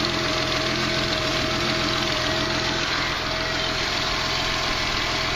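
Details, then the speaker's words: Car just restarted after battery charging, alternator recharging, warming up: steady low idle with a slightly uneven, unsettled beat under heavy hiss; possibly a misfire, not conclusive. "sounds like it's kind of got a a little bit of a low idle maybe a misfire"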